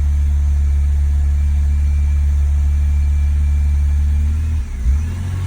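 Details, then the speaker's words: 2001 BMW E46 330Ci, MAF sensor unplugged, warm: idle dips and flares, revs hunting on their own; also won't pass 3k rpm, little power, cats red hot; owner suspects fuel or oil getting in, cause unconfirmed. "And there it goes. And it'll just keep doing this. That's not me, that's just the car. As soon as it gets a little warm."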